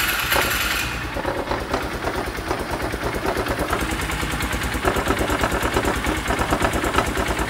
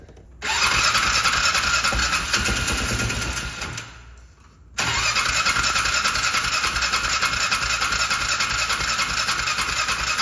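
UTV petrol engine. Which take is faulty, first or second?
second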